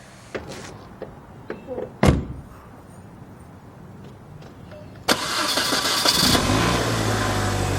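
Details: Mini Cooper after coolant system repair, taken off ramps: after some handling knocks the engine cranks, catches quickly and settles into a smooth, steady idle with no odd noises.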